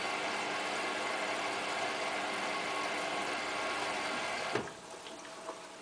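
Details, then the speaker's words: Hotpoint Ultima WT960 washing machine, cottons 60 wash with about 7 kg mixed load; even motor-bearing hum with soft water swishing fading as the drum slows, ordinary wash tumble, nothing abnormal. "you can now hear the motor bearings doing washy"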